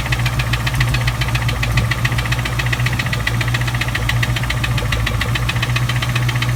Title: 97 cobra rod knock/head tick/ spun bearing?